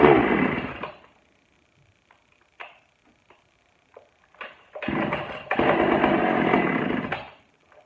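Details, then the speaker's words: Pioneer P41 chainsaw from a batch of old non-running saws, first start after a carburetor cleaning; it catches in ragged bursts, stalls and picks up unevenly. Rough running, likely lean. "okay we're going to adjust we're going to open up the low just a bit more and see if we can keep it running better"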